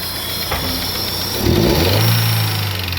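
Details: Daewoo Nexia at idle and a quick rev, camshaft already replaced three times and a knock that comes and goes: uneven light tapping over the engine; valve-train knock from a loose valve in a worn guide.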